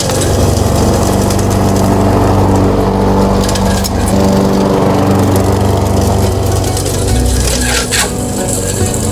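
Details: Mastercraft lawnmower after the engine swap, restarted while still warm before cutting grass: the small engine holds a steady, even buzz at constant speed with no misses or surges, running healthy.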